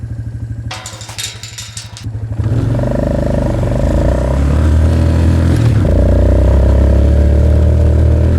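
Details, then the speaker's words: Suzuki Ozark LTF-250 ATV, warmed up, ridden on a cold day: the single-cylinder thump turns into a flat, strained drone at wide-open throttle under load and never catches up (bogging). Owner suspects it needs a new air filter and the carb cleaned. "You hear it still bogging like that wide open though. Here, listen. See how it feels? It sounds like it can't catch up. That's still part of the issue."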